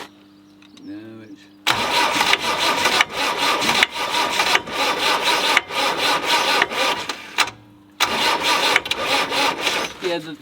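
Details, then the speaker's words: Land Rover 90, naturally aspirated diesel, not started in 8 years, oil put down the bores: starter cranks briskly in bursts with a knocking from the injection pump, never catching; batteries going flat. "yeah that's your little pump yeah it how it knocks like that it's trying to start on that"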